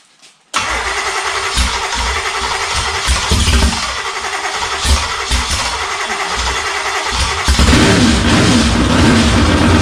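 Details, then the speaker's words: 1954 Henry J gasser project's 327 V8 on an engine stand at first start-up catches, then stumbles with repeated dips and hesitations, not picking up fuel; owner concludes the fuel pump is no good. "okay go running out of fuel I'm not picking up fuel"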